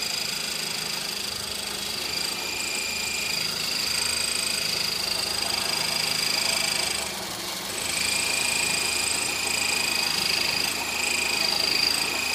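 A high, thin chirp repeats about three or four times a second over the idle; the source isn't pinned down from sound alone.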